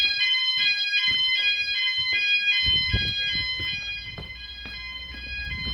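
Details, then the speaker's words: E.M.S. FirePoint System 5004 house fire alarm, Sound Alarms pressed on panel, all sounders running: loud shrill pulsing tones about four times a second, steady and even, very loud throughout house; sounders operating normally. "so you know whatever you are in the house you can hear it quite clearly and it's very loud so it's doing what it needs to do basically there's no way you're going to sleep through that or anything"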